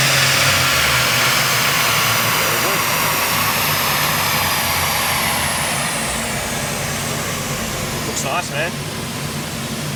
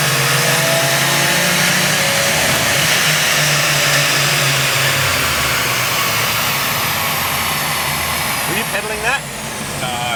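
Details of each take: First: Subaru Levorg with built H6 engine, Haltech ECU, downsized turbo, wide open throttle dyno run making 320 kW; loud hard-pulling roar with high turbo whistle sliding down as revs fall; strong and clean. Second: Subaru Levorg, built H6 engine, Haltech ECU, full-load dyno run; loud engine repeatedly drops in pitch then recovers every few seconds as boost control cuts boost after overshooting target; heading for about 400 kW.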